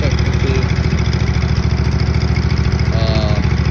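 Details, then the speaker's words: Cub Cadet 782 garden tractor twin: steady low thudding exhaust at about three and a half pulses a second, lacking pull. Owner says it's running on one cylinder and suspects a hairline-cracked coil that cuts out when hot. "It's running on one cylinder because the coils get hot. There's a tiny microscopic crack in it. So once it gets hot, it expands and it cuts out."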